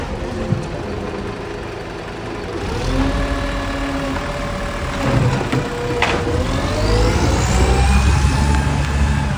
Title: 1450 exhaust leak 7:00am